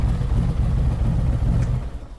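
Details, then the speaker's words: 2023 Harley-Davidson Street Glide ST Stage 2 (CR483 cam, Bassani header, ThunderMax) at end of third idle tune near 180°: steady low even idle, no knocks or ticks, about two seconds, then engine shut off and fades; normal idle. "Okay, we're approaching 180°. Let's give it a second here to reach the actual temperature and we'll shut it off."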